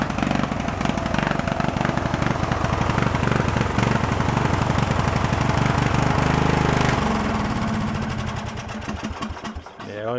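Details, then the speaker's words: Junk riding mower: uneven, lumpy fast chugging that sags and dies after about ten seconds, blowing fuel out of carburetor; runs only on choke, dirty carburetor, engine itself seems decent. "so definitely still has some carb issues with it but um as far as the engine is concerned the engine seems like it's a decent engine"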